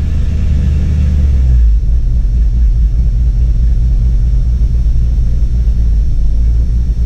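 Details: Jeep Cherokee with throttle floored: deep, uneven rumble that labours and stumbles under load instead of picking up. Owner suspects ignition timing is off. Cause not confirmed.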